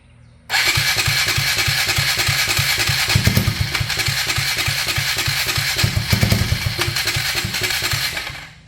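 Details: 1999 Polaris Sportsman 335 first start after replacing a stuck valve's broken valve guide and all gaskets, gas tank not attached, primed with starting fluid; starter chugs about three and a half pulses a second with brief catches that die, fires but won't run.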